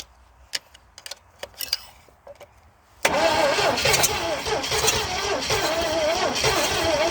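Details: 1970 Oldsmobile Toronado 455, long-abandoned, with choke held closed by screwdriver and fuel primed by bulb. A few clicks, then steady cranking at about four turns per second that never catches; cranks but won't start.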